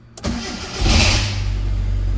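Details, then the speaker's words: 2002 Hyundai Accent injector engine with crank-no-start and injector circuit low codes (P0261/P0264/P0267/P0270), fuse fed 12 V externally: brief crank, catches with a quick rev, then a steady even idle; starts normally. "गाड़ी start हो गई ठीक है ज्यादा देर गाड़ी start नहीं रख सकता मैं क्योंकि मैंने फ्यूज को करंट बाहर से दिया है"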